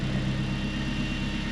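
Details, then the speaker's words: Supercharged Acura RSX Type-S at idle, exhaust pipe ripped apart racing a Mk4 Supra, awaiting welding at muffler shop: loud, deep, raw uneven burble like an open exhaust; exhaust leak from broken pipe before the muffler. "Oh no, I just hope they gonna fix this. This just sound ugly. That bitch sound ugly. You say this sound ugly."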